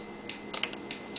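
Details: 1992 Honda VFR 750 RC36 after a hot-wire short to the frame, starter motor disconnected: light, crisp ticks at a steady flasher pace over a quiet background; turn signal working normally.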